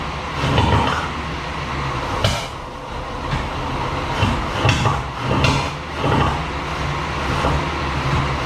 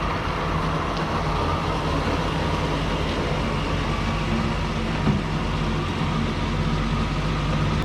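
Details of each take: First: 1937 Chevy barn find: rough, stumbling run with sharp lean pops every second or so backfiring through the carburetor, caused by plug wires out of firing order. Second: 1937 Chevy 216 inline-six barn find, driving around a parking lot: steady even low rumble with no misses or knocks; running good.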